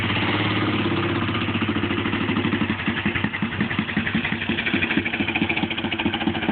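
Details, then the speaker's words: 1957 Cushman Iron Eagle single-cylinder after a timing fix (stator plate reset to mid-adjustment) that cured a mid-power-band flat spot. It settles into a crisp, even putt, firing cleanly with no sputter: normal running. "- you hear there's a major difference in the way it's running"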